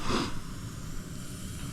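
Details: Overheating van after coolant system work, bleeding the cooling system at idle: short breathy hiss over a steady idle as trapped air spits out of the bleed point; air in the cooling system.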